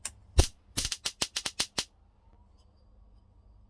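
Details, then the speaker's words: Soundbelle reel-to-reel tape recorder powered up during restoration: about eight sharp snapping cracks in under two seconds; HT arcing to ground at the base of the EM81 valve. "good enough well base is cracking watching hard switch it off at the moment there's a bit of paxil in here i must be shortened to the ht to ground"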